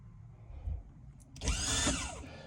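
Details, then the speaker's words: 2003 Bayliner 215 Bowrider with MerCruiser outdrive, trimming the outdrive down: short electric trim motor whir of about a second with slightly rising pitch, then stop; trim working normally. "this is your trim down. We'll take your out drive all the way down. All right. So, hear it working."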